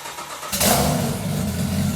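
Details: GT-R RB26 engine in a turbocharged Datsun 240Z, first start with drive-by-wire ITBs, minimum idle throttle lowered from 20% to 5%: fires after a moment's quiet, settles into steady, even idle, no hunting or misfire; healthy.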